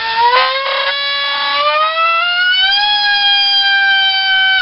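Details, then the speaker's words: 2948 4800kv brushless motor thrust test with a 3.5-inch cut-down EMP prop on a 1800mAh 4-cell 65C pack: high whine climbs and holds, with a rough, uneven buzz; odd noise under load, cause unclear. "that's not good making a bit of a funny noise"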